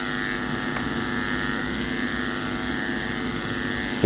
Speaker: 46 प आते ही केर केर की आवाज आनी शुरू हो जाती है